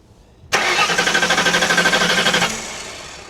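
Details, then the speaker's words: Hurricane-flooded 1992 Ford Crown Victoria, 11,000 miles: starter cranks in even pulses about three a second for two seconds, never catches; no spark found, crank no start, computer suspected. "try it no spark we got no spark"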